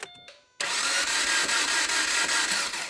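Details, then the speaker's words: Subaru Crosstrek at 120K miles with a failed engine, on a crank attempt: silence, then a heavy clunk and harsh churning, and the engine does not catch. It sputtered slightly on an earlier try; something is badly wrong inside. "yeah okay well do you hear that though clunk and it sputtered last time I tried to start a little bit so yeah something's something's really wrong"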